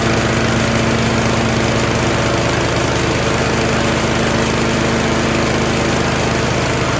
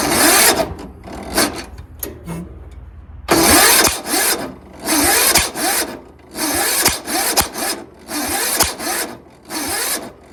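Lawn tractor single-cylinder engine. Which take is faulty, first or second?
second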